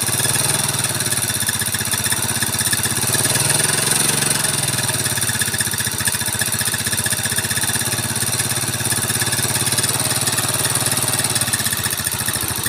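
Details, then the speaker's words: Yamaha Mio carburetor scooter, upgraded, fitted with Supra carburetor, idling; harsh rattly rough idle with clatter from the cylinder head and gritty noise from the block/piston. "suaranya seram banget guys ya pokoknya hedan ini Kasar banget ada dari bagian head dan ada dari bagian Blok Tengah blok piston ya"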